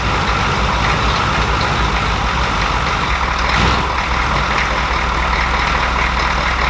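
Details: Grandpa's recovered OBS Chevy truck after a starter replacement, started and idling: steady, even diesel rumble with no knocks or misses; runs smoothly and healthy, later drivable after patching a holed transmission fluid line.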